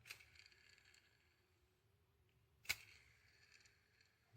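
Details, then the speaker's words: Shimano Stradic CI4+ C3000 fishing reel, line roller flicked twice: long, gritty, high whir fading slowly, spinning freely and noisily from a worn line roller bearing that needs replacing. "hear that it's spinning really freely and noisy so if your roller bearing is doing that sounds like that you'll probably know"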